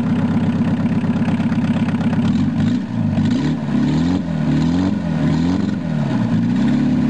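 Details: VW Rabbit long sat unused; it first raced wide open, then idled down after the cold start knob was pushed in and out. The engine drops from racing to a steady idle with a slight rise-and-fall pitch wobble. Normal idle.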